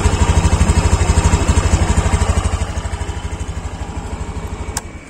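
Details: Honda Beat Deluxe scooter idling: steady, even thumping about three pulses a second, no misses or extra noises, a clean normal idle.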